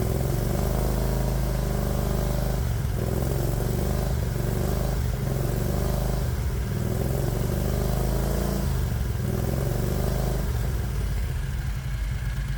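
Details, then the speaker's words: 1969 Renault R10 fitted with a 670cc Predator V-twin, cooling fan off, just after a cold start; deep, lumpy beat that sags and stumbles now and then; idle set too low, which it does when the engine's cold. "not bad oh it sounds like the idle's too low me it'll do this when the engine's [Music] cold"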